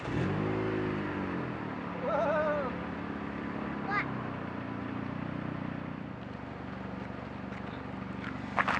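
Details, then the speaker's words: 2007 Dodge Caliber after a DIY muffler repair; the muffler had rusted off and detached from the manifold. Low, soft idle hum with no rasp, puffing or leak hiss; exhaust now flowing out the back. Normal idle. "that did a massive massive amount of good that completely changed the sound of the engine obviously"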